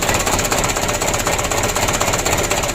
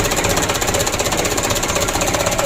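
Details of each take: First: 2007 Mitsubishi Canter 125 diesel just after engine rebuild, first start: steady clatter about four beats a second, slightly uneven and shaky; idle speed set too low, to be raised after warm-up. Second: 2007 Mitsubishi Canter diesel after full engine rebuild (had been blowing by and burning oil), first start before adjustment: fast, even diesel clatter with regular pulses, no misses or knocks; idle shakes, so idle rpm raised slightly. Normal running.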